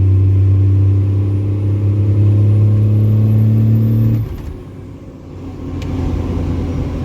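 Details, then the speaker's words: 2G Cummins diesel truck at cruise with overdrive turned back on: steady deep drone, then the engine note drops sharply and settles lower as the torque converter locks; normal lockup, which releases whenever the accelerator is let off. "Then we'll turn overdrive back on, and it definitely changes it a little bit. There we go, she locked."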